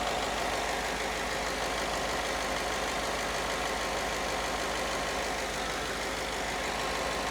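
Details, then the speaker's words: 240,000-mile Ford F-150 V8, cold start after new spark plugs and air filter, settling from high idle: smooth even idle with steady exhaust note, no misses or knocks; running on all cylinders. "Sounds like it's running on all cylinders, so can't be any worse."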